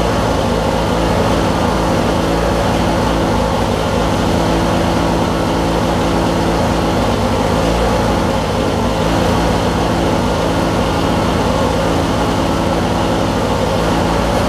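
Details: Craftsman LT1000 Briggs opposed twin with 4-screw Nikki carb, returned for cutting out and not restarting when hot; after cleaning flywheel magnet and regapping plugs, deep steady even rumble, no misses; normal running, restarts easier.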